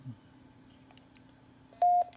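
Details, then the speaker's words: TYT TH-9800D Plus quad-band FM mobile radio: keying up gives one short steady beep with faint band relay clicks instead of transmitting; malfunction inhibits transmit, also transmits off frequency. "sometimes when you get a key up it will give you that beep see here I'm trying to keep another local repair and I get nothing it just gives me that beep"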